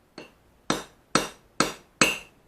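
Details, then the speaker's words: Japanese plane back blade during ura-dashi: five crisp, dry pecks about half a second apart with a sharpened hammer edge, no lingering ring — correct pecking; a ringing "tang-tang" means rebound from a loose hold and risks cracking. "부분으로 소리 한번 다시 들어볼게요 찍어주는 소립니다"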